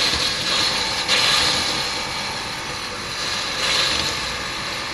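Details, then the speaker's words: Small air compressor set to 30 psi, blowing out the water lines while winterizing a 2018 Coleman Lantern 202RD travel trailer: steady busy mechanical chatter under rushing air, slightly uneven in level, running normally. "in the background you can hear my little air compressor going. And I do have the air pressure set at 30 psi."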